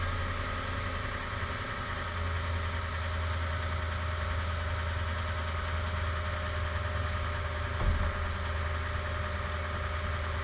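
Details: Toyota Tundra at a steady low idle with a single sharp pop near the end; popping occurs mainly after the truck has been parked for a while.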